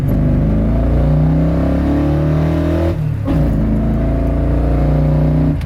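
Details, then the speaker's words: Muscle truck with new Holley Sniper EFI, tune nearly dialed in, given a slight pull in second gear from about 30; the pitch climbs cleanly, dips briefly at the shift and pulls hard again without stumbling; normal wide-open acceleration. "Woohoo! Oh man, that's good stuff. Oh, dude, it throws you back like no other. Woo! Dude, this thing is a lot of fun now."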